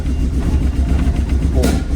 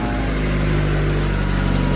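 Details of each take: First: Mazda Miata bought used; runs rough with an uneven, lumpy, stumbling idle; the cause was spark plug wires in the wrong order. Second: Mazda Miata after the misfire fix, spark plug wires put back in correct order; steady even engine note with a clean rev near the end, no misfire or knock; normal running.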